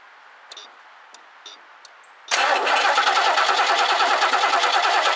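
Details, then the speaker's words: 1969 Lincoln Mark III barn find, carburetor just fitted, gas poured into carb mostly spilled outside: starter cranks evenly for seconds with no cylinder firing; owner suspects no fuel got in. "yeah maybe I didn't get any gas in there at all maybe I just dumped it all out"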